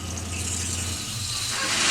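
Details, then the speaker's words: Vehicle that will not move in gear, engine started in Park: hissing, gushing spray of fluid over the running engine; punctured transmission cooler line dumping fluid. "what the hell oh it's punctured right here wait a minute oh hold on let me grab a bucket"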